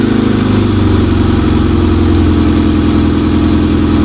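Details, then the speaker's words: Rover Mini first run since September after new plugs, air filter, oil and oil filter, coolant, thermostat, gaskets, radiator, electric fan and electrical work, ticking over cold on a freezing day to warm up; steady, even, smooth low rumble with no misses: healthy idle. "that is superb so we're going to let that tick over and warm up for a little while cuz I say this is the first time this has run since September"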